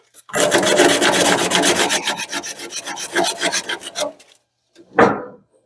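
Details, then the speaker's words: Whirlpool dryer drum support roller just cleaned of hair and refitted: dry coarse rasp pulsing about four times a second and fading as it spins down; sounds coarser at first while it smooths out, normal. "so it sounds a little coarser when you first put it on because you've wrapped it up a little bit and it has to smooth it out"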